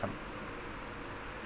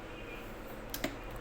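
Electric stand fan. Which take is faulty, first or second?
second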